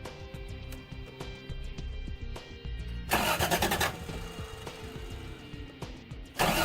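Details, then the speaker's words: Turbocharged Toyota 3VZ-E, cranking in short bursts but never catching; fuel pump not priming, no power reaching it though it worked before; pump itself believed fine, owner plans a jumper wire from the battery to the pump. "yep my fuel pump isn't coming on so I've determined that my fuel pump was working now it's not and it's not an electrical problem"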